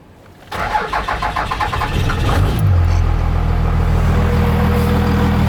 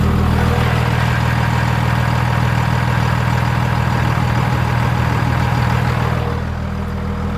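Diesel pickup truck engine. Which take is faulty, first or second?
first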